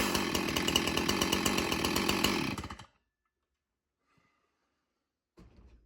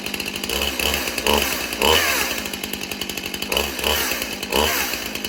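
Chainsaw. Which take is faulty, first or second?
second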